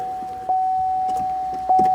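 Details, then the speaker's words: 2014 Chevy Camaro convertible, 28,000 km, ignition key sometimes won't come out: two crisp clicks over a steady chime as the key release solenoid pulls in and the key comes out. Suspected cause: a shifter park microswitch that sometimes fails to close. "I can hear the solenoid in the, and it's operated by this, And now it's turning off."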